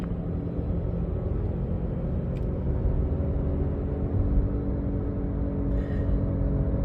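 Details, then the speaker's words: Jeep Patriot, left rear wheel bearing bad, heard from the cabin at about 30 mph: steady low droning growl, like an airplane taking off or a whirling noise. Worn wheel bearing growl. "it kind of sounds like an airplane taking off or a whirling noise uh that's the best way to describe it"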